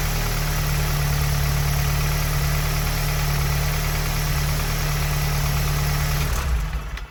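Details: Tuned EA888 (Vortex XL turbo, MPI kit, 1300cc injectors, E85 tune, 530 WHP) after an EQT high-pressure fuel pump cap/line kit install: even, steady low idle for about six seconds, then shut off, with no knock or misfire; a small fuel leak is found afterwards.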